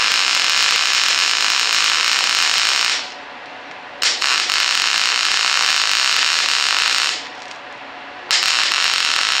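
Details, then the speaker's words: Longevity MIGWeld 250 MP welder switched back from double pulse to straight MIG with no pulse; steady, even frying hiss in runs of about three seconds with clean stops between; normal straight MIG arc. "I'll put it back to just straight Mig you know with no pulse and I'll do a little bit more you see you can you know hear the"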